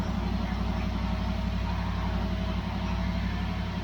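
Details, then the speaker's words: 1973 Dodge LA 318 V8 on an engine run stand, first start after sitting about 10 years, fuel pump now pulling fuel. Steady even burble with no knocks or misses, good oil pressure and a little burn-off: a healthy idle. "sounds great the fuel pump on oh okay oh yeah yep got a little burn off going"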